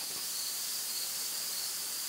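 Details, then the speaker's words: Propane tank system, microphone moved close to a leaking tank line threaded fitting that bubbles continuously under soap: faint, steady high hiss of propane escaping; bad leak, level now about 375 gallons, probably down from around 450. "you hear that slight hissing sound there yeah that's the sound of money going into the atmosphere"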